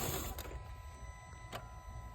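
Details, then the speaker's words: Chrysler Crossfire with a crank-no-start: after the engine dies, a couple of sharp single clicks are heard as the internal relay cuts the fuel pump's power. The no-start was caused by water-contaminated fuel, about 50-50. "There, you can hear the relay is cut."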